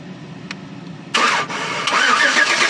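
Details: 2012 Chevy Tahoe police pursuit, flex fuel, engine cranked by jumping starter relay with paper clip: quiet, then starter spins engine steadily two seconds without catching; no fuel injection, crank no start from lost ECM communication.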